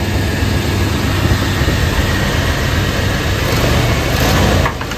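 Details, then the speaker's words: 1991 Chevy Silverado small-block with 399,000 miles after tune-up work: it took a while to start but now holds a steady, even idle with no misses and sounds better, though it still probably needs plugs and wires. Normal idle. "All right, y'all, to me, that kind of sounds like it's running better."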